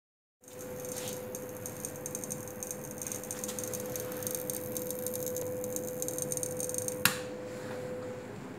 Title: Crackling sound in power supply.